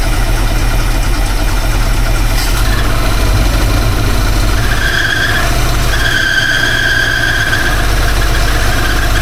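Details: V8 after new distributor install, timing being set with timing light: uneven lumpy idle with shrill squeal cutting in and out; running rough, owner feels something's not right.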